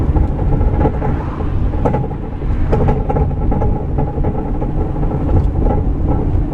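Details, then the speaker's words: Rear-mounted microphone in a van driving: irregular hollow clunks and rattles over heavy road rumble from a broken rear track bar, which normally keeps the rear stabilized. "so i'm going to put the camera in the rear of this van that has a broken track bar on it and uh let you listen to what it sounds like"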